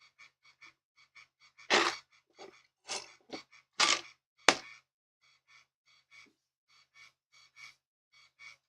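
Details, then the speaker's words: Panasonic Toughbook CF-W8 laptop CD drive reading a disc: quiet, evenly spaced buzzy chatter, two or three short bursts a second, like a dot matrix printer; normal. "the CD drive sounds a lot like a sounds like a dot matrix printer yeah it's uh it's Unique"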